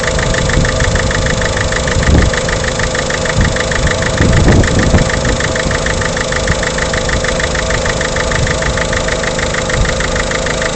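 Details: Peugeot 307 1.6 HDi diesel at idle: rapid irregular tapping about three per second over the diesel clatter; abnormal engine knock, cause unknown.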